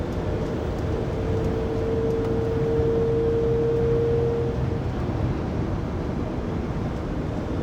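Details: 2019 Sprinter 3500XD-based 2020 Pleasure Way Plateau FL at 80-90 km/h, recorded on a phone in the cabin after the driveshaft and differential were replaced. A steady mid-pitched whine rises over road noise, then fades. Drivetrain whine persists, source unknown.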